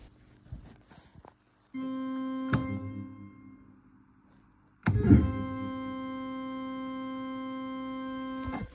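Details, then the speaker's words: 1964 Farfisa Combo Compact organ after oscillator and tone-generator repair, first switched on cold in the morning: two sustained notes whose pitch wanders until circuits settle; normal, just needs time to warm up. "which is an indication that it's it just needs a little bit of time to warm up"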